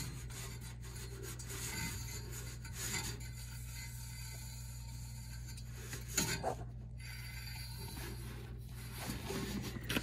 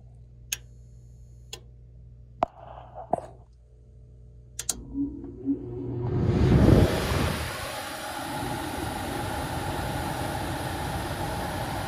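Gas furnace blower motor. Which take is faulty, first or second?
first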